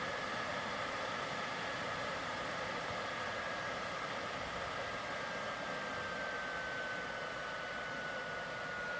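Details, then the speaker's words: PlayStation 4 Pro at startup and game loading, before cleaning: steady loud airy rush with a faint high whistle, no rhythm; cooling fan roaring hard from dust buildup. "you can hear how loud it gets it gets even louder"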